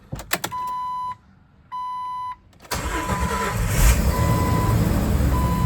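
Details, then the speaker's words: 2000 Jeep Wrangler TJ after starter replacement: two chime tones, a brief crank, and the engine catches at once and settles into a steady, even idle; the new starter works normally. "There we go. She start it up. Like a champ."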